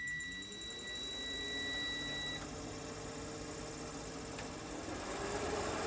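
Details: Bus's factory rear air-conditioner fan motor after a dab of grease at the bearing ends, first test run: the fan winds up to a smooth, even whir with no scraping or dry chirp; the bearing sounds healthy.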